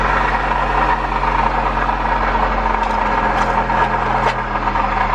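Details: Acura RSX K-series petrol engine idling with a steady high screech from a failing water pump, which was also causing overheating; the pump was later replaced.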